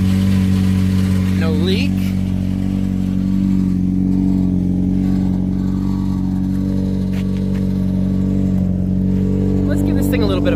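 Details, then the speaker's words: Saturn Ion Redline turbo after exhaust fix, warped flanges sealed with two homemade gaskets and RTV: deep steady engine drone with a short rev, no ticking or puffing at the manifold; exhaust sealed and healthy. "a rep let's hear it all right very happy with that"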